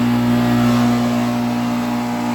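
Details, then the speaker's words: 2008 NuTone dual-zone central air conditioner: steady low hum with a rough buzzing vibration from a badly shaking condenser fan motor, very loud; condenser fan motor vibration. "it almost sounds nice with the without the vibration but it sounds horrible with it"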